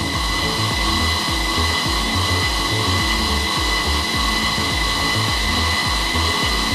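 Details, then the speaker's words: Sealey Supermig MIG welder, 0.6 wire, nozzle removed, wire speed at five, trigger pulled to feed wire through the torch: steady motor whir with gentle pulse about twice a second, no stalling; wire feed turning normally. "you'll see the wire feeding through it seems okay it's turning fine you will feel you feel the wire coming up through the handle"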